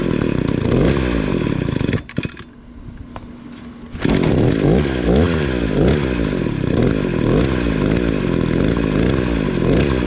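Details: Echo SRM 266 trimmer after carburettor replacement, which fixed bogging down; idle set fairly low: strong buzz drops to steady idle two seconds, then revs cleanly back up without bogging; normal running.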